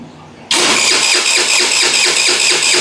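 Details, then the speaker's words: Thrift-store scooter abandoned for years, first start attempt after fuel line work: starter turns steadily three to four strokes a second but never fires; no fuel flowing. "Now let's see if it starts up. First startup. I don't see any fuel leaving this. I don't see any fuel going."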